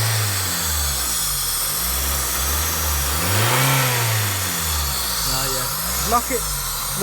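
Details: Honda Civic Type R EP3 parked about a year, started first time; idle hunts up and down every second or two, surging then sagging; forum research points to a sticking idle control valve, cleaned by removing the throttle body.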